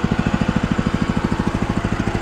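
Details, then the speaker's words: DOZER G7 2BT 7 hp walk-behind tractor (aka Kentavr, DTZ, Forte), idle at 1550 rpm per tachometer, adjusted by black plastic screw: even steady single-cylinder thumping, no misses or knocks; normal idle. "Вот это холостые обороты. 1550. Вот так вот на холостых."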